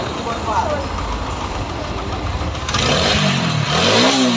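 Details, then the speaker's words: TVS 4V 160 motorcycle that wasn't reaching top speed, after adjustment: quiet at first, then the single-cylinder engine fires and revs up and down cleanly with an even, steady note; normal running. "আর গাড়িটার top speed করতেছিল না, সেই জন্য আমরা এটা সঠিকভাবে adjust করে দিই।"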